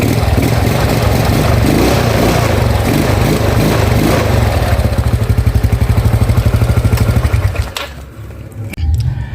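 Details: Yamaha Mio Sporty carburetor scooter that stumbled and died on throttle, after replacing the carburetor vacuum diaphragm and needle set (needle jet kept): revs climb cleanly and evenly on throttle with no stumbling or popping, then settle; fixed.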